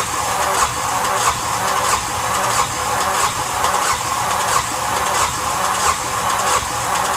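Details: Yanmar SB12 marine diesel after fuel line repair and bleeding, at about 41°F: steady starter churn with a regular beat of about ninety per minute that never catches; air still in the fuel line.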